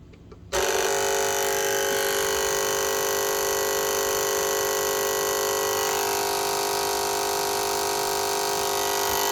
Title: Cricut Explorer Air 2, making grinding noise.